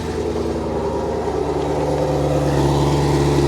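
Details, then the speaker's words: Camaro SS V8 at salvage auction, coolant reservoir empty, possibly valved exhaust: deep steady V8 burble with slight rise in speed, even firing, no ticks or knocks; healthy exhaust note. "oh wow yeah yeah oh she sounds good let's get you back there hear that exhaust"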